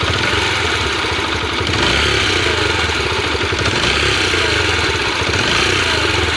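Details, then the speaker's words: Yamaha Factor motorcycle, warm engine revving: fast light ticking over the exhaust note, rising with revs, only when hot, absent when cold; owner suspects excessive valve clearance (spec intake 0.10, exhaust 0.12), plans valve adjustment. "quando ela tá quente quando ela está fria ela não faz esse barulho aqui você pode escutar"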